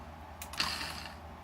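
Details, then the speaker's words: Mercedes S-Class throttle body (ASR) on the bench, powered by a working gas module, before repair: one short click and a brief whir, then quiet, as the motor tries to engage but the open-circuit internal clutch coil cannot activate. "throttle tries to activate but the problem here is the clutch coil clutch coil inside is open circuit so cannot activate the clutch coil"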